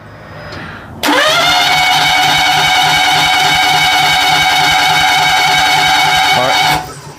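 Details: 2000 or 2001 Daihatsu Hijet S210P, fuel-injected twin cam, crank no start: quick even cranking around 200 per minute, never catching, spins freely; compression under 60 psi, plugs wet; timing jump suspected, not confirmed.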